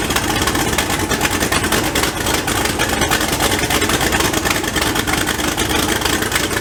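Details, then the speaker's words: Second start of an LSZ turbo build with two gaskets on one manifold side and no downpipe fitted: very loud, raspy idle with puffing chatter. One side is now sealed, but exhaust still leaks at the other manifold flange, which needs double gaskets. "a lot of the noise out you're hearing is coming from the exhaust part of the turbo so that's good but it's leaking here and it's leaking there"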